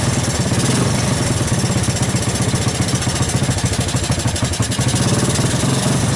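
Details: 1984 Honda ATC 200S single-cylinder ATV after long storage, started with starting fluid through the choke: pops along unevenly, pulses stumbling and surging instead of settling; rough running, cause not yet found.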